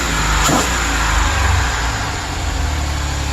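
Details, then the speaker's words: 2008 Chevrolet Express, no coolant hooked up: just started, a brief rev, then a low, steady, even rumble with no misfire; old oil smoking out of the exhaust; normal running, only briefly run. "Just got it started. That's the old stuff. I really can't run it too long because I don't have the coolant and stuff hooked up to it, but"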